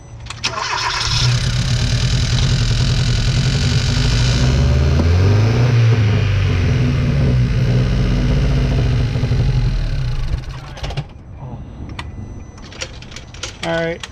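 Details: 2013 Hyundai Veloster four-cylinder, over 100,000 miles, misfiring on cylinders 1 and 3: long strained crank, catches, runs unevenly for seconds, then dies. Hard starting; fuel delivery or pressure suspected, not confirmed.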